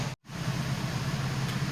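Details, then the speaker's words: Infiniti G35 V6 idling smoothly after fixing cylinder 6 misfire (P0306) by replacing the cylinder 6 fuel injector and the intake manifold gasket; no check engine light, no shaking, steady low rumble. "there you go guys so the car is running no check engine lights the car doesn't shake"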